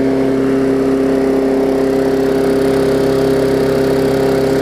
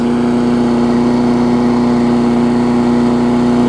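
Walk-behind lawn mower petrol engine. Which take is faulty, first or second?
second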